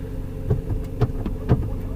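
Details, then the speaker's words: Jeep Patriot idling with clutch pressed in: low, steady throb with regular pulses about twice a second, no rattle; engine runs fine. A rattle appears only when the clutch is let out. Normal idle. "But that's with the clutch in. Engine runs fine. It's all good. No problem."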